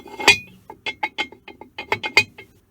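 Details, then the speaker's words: Holbrook 10 lathe drive clutch assembly, bare unlubricated shaft turning in the two outer casting halves: irregular metallic clinks and clanks, mostly from the loose lower bearing; the top bearing is only slightly loose. "of that noise is from the lower bearing. The top bearing isn't actually that bad."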